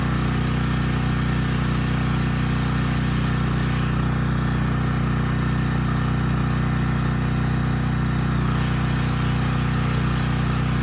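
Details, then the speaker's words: Briggs and Stratton Storm Responder generator, bought as parts machine, under load; steady, even drone with no hunting or misfire, holding speed, good power output; normal running under load. "okay good this was supposed to be a parts machine but it's running really well I mean the power outputs good the engine speed is good it's maintaining its speed well under load"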